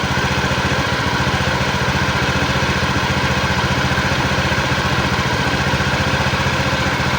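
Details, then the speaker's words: Honda Beat injection scooter after about 2 months on Revol Matic 10W40 oil; steady chuffing idle near four beats a second with a harsh, slightly uneven edge, rougher than with usual oil, performance still fine. "kasar karena kalau kita menggunakan oliell tidak sekasar ini meskipun tetap ada suara e [Musik] gesekannya"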